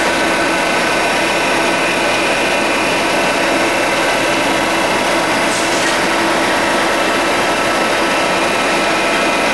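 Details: 52-inch King vertical boring mill (vertical turret lathe), internal grinding spindle on the left-hand head run under power: steady high-pitched whir with even tone, no knocks or grinding; spindle runs smoothly.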